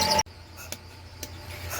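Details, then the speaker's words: Milker vacuum pump after cleaning and fresh oil: sharp pulsator clicks about every half second over a low steady pump hum, showing the bucket milker pulsating again; before cleaning it barely pulsated with almost no pressure. Slight squeak possibly from motor/belt bearing. "got the bucket milker in and this is the paul seder that kind of pumps everything so you can hear it it's clicking away which means it's going"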